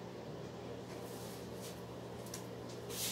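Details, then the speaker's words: Mid-1970s Lakewood Country Aire P23 box fan, oiled Monday and run daily since, starting on low speed: soft, faint, steady low hum as the motor spins up, no rubbing or rattling; normal clean startup. "It has a really faint startup sound that actually sounds quite nice. It just got up to speed."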